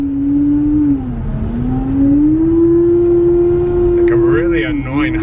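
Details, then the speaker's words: Mazda barely driven, running down the road: loud steady high-pitched whine over the engine, rising and falling with road speed; cause unknown, could be minor or major. "noise yeah i don't know what it is but i don't want to deal with it that's why i'm taking it to the auction"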